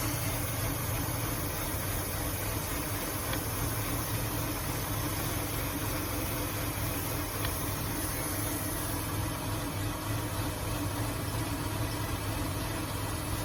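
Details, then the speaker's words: 2005 Ford Taurus after an ignition coil replacement, idle air control valve suspected: the idle drones with a rise and fall and a faint hiss underneath, jumping badly. The owner hears air escaping elsewhere, possibly a vacuum leak. "yeah see how it's jumping real bad sounds like I hear air coming out of somewhere else"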